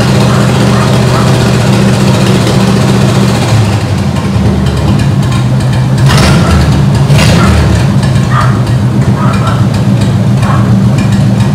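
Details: Ford 8BA flathead V8 (1949–53), bought painted off Marketplace, with a suspected fuel pump diaphragm/top-cap leak: steady, even low rumble well above normal idle, no misses; carburetor suspected.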